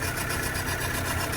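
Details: Fire-damaged VW Caddy truck (ABA swap build) idling after wiring was corrected; short, steady, even idle with no surge or hunting; normal idle, running right.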